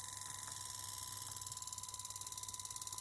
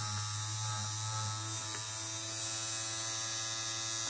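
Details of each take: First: un zumbido !!! ciclo de trabajo 15% luego probé la frecuencia, intenté bajar el sonido, el zumbido que se produce es este módulo Second: Small 3.7 V DC motor driven by a dual-mode PWM module at 618 Hz and 100% duty cycle: steady, even hum with fine high whir, no stumbles or scraping; healthy at full speed.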